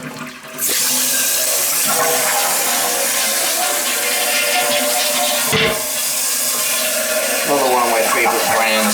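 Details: Summer cottage toilet after water turned back on: strong rushing flush, then steady refill hiss tapering off evenly; flushing and refilling normally.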